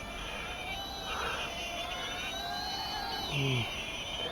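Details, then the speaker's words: SPCMAKER 95EP 1S brushless micro FPV drone with 0705 motors, in flight: high, thin whine shifting pitch with throttle with gritty, uneven edge; motor bearings rough and hot, causing vibration. "Wow you can hear the bearing of the motor is very crowded but at least the rate problem are solved with this"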